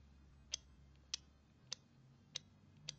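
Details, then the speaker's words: TL494-based MSD ignition project on a 12 V battery, triggered by a clip: the spark plug gives sharp, crisp, consistent snaps about every 0.6 s over a faint hum, firing multiple times with the duty cycle set very high; normal spark firing. "So you can hear something firing, which is this spark plug. I don't know whether you can see the video, but it's actually firing multiple times."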